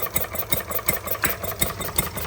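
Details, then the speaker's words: Stirling Kits Retrol G16 model stationary gas engine on first start after flooding, fuel pump not yet delivering: crisp, even firing pulses about five a second with light clatter; running sweetly. "It even sounds like a proper stationary engine. The old ones."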